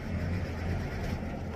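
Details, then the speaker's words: Hino 500 diesel truck, in neutral, driver complaint won't start: engine churns over steadily on the starter but never fires; cranks but won't start, cause not yet found. "gak mau hidup juga starter bisa tapi mesin gak mau hidup"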